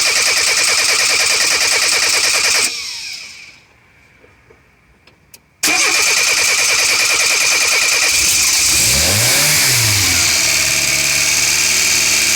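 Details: Renault 9 Cheverny after fuel filter and spark plug change: steady starter churning about three beats a second, a pause, more cranking, then it catches and revs; hard starting with long cranking.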